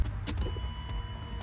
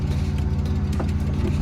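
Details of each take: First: 1993 BMW E36 M3, abandoned, key on after installing a new fuel pump: faint, steady electric hum for about a second as the pump primes normally. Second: Abandoned 1993 BMW E36 M3 on an early run after purchase: a low drone with an uneven, shaky pulse that never settles, running ragged like a misfire at idle. It later smoothed out on its own.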